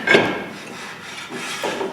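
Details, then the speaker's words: Cadillac Escalade (Chevy Tahoe) rear brake job, parking brake star wheel adjusted out and the hub turned by hand: short, soft scraping swishes as the shoes just touch the drum. The parking brake adjustment is correct. "that's probably gonna be good right there i can hear it just touching so we're gonna leave it there"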